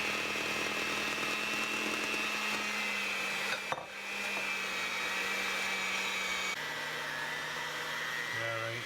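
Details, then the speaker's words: Stand mixer mixing thick babka bread dough with flour and scorched milk: motor whine sinks steadily then drops in steps as load builds, motor smelling hot; bogging down under overload, switching to hand mixing. "You can hear our motor bogging down, so we're going to switch to hand mixing, but we're going to get as much as we can blended."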